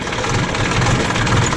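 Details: JCB backhoe loader diesel idling after the fuel line was bled and the three filters were refitted, with no leaks seen. A steady, even, smooth low rumble with no misses or knocks. The engine is running cleanly.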